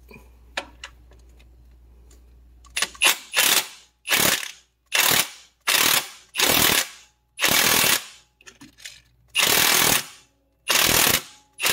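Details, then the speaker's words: Impact wrench drawing the harmonic balancer onto the crank on a 2007 Pontiac Grand Prix 3800 Series III after front crank seal replacement: hammering bursts turn sharper, pinging and ringing as balancer bottoms out. "and you can hear the sound change too when that happens you know it doesn't uh doesn't sound the same it starts to make a different pinging or tinging sound and then you know it's bottomed out"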